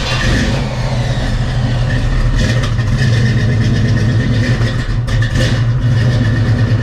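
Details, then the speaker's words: Barn-find 1971 Pontiac Formula V8: deep, steady burble with an even lumpy beat and no knocks or ticks; healthy normal idle. "So it seems to idle nice. So I can't wait to see how it drives."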